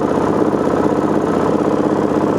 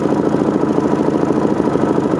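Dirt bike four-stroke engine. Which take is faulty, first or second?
second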